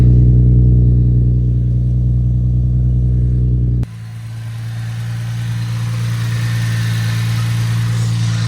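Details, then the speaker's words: Infiniti G35 VQ35DE V6 after fixing the air intake and the exhaust (ISR headers, single-exit straight pipe). Deep, even exhaust burble with a steady low rumble and no misses or knocks. Normal idle. "So I fixed the air intake and the exhaust, and it is definitely loving it."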